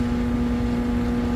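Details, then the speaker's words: HVAC evaporator fan motor trying to start: steady loud electrical hum, no speed run-up; motor buzzing on lost phase, contactor suspected, low voltage around 104 V; single-phasing motor buzz. "interesting the motor is buzzing and it's not getting"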